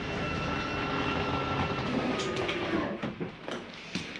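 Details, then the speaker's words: Forest River Sabre 360QB RV slide-out retracting: even motor whine with steady tones for about three seconds, then a few clunks as it stops, no grinding; the noise is the slide mechanism keeping itself from travelling too far, normal. "i wanted you to hear that noise it's okay to hear that don't panic nothing is grinding you'll hear that sometimes going in or out it is the slide mechanism keeping itself from going uh in or out too far"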